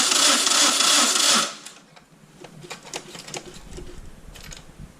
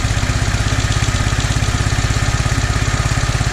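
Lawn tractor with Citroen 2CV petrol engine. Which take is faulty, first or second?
first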